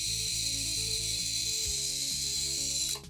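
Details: Amptron PM-9600 Socket 7 motherboard (ALi M1531 TX chipset) powered up again: shrill, erratic stepped buzzing and chirps from board speaker, then cut off; unchanged.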